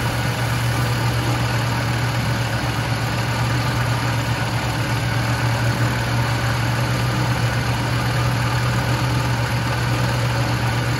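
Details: 1976 Lincoln Continental 460 big-block V8 with 41,000 original miles, idling: deep, even idle with a steady low rumble and no misses, knocks or ticks; normal, healthy idle.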